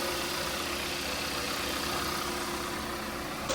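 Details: Freshly installed 1.6L Gamma engine in a 2012–2017 Kia Rio, first start-up warming up: steady, even idle with a smooth hum, no knocks, ticks or misses; idle until the fan cycles twice. Normal idle.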